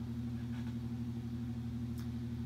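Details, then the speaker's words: Mid-1950s Ilg Model 83 shuttered garage fan, never used in 60 years, first run after oiling motor and shutter hinges; steady low hum and smooth even whir, no rattles or scraping, purring quietly, normal running. "so that's the ilg model 83 from the mid-50s happily purring away up there doing an excellent job"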